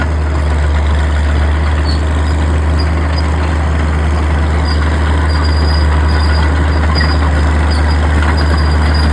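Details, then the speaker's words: Old Caterpillar D6 diesel dozer warming up, with a deep, steady, even thrum and no knocks or stumbles. It smokes a bit but sounds good; normal idle. "the old girl does uh smoke a bit there but she sounds good and can hold her own in it big old push"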